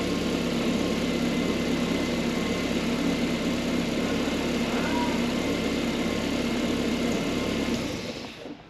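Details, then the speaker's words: Ford Fiesta MK1 Zetec project car, first start after an engine transplant done because the old engine was noisy, after swapping the coil wires. It settles into a smooth, even idle with a steady beat and no knocks or misses until shut off; healthy. "That ran beautifully. What a difference. Wow."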